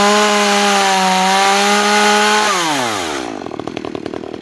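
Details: New Makita EA3200S chainsaw during first start and break-in: steady high scream at full revs, then smooth wind-down to a settled idle; healthy.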